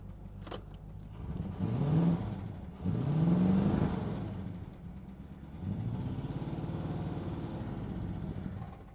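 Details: 1962 Dodge Custom 880 V8, not run in a long while, on the little gas left in the carburetor: turns over, catches, revs unevenly, then settles into a low rumble as it moves; it drives, smoke likely from rings burning oil.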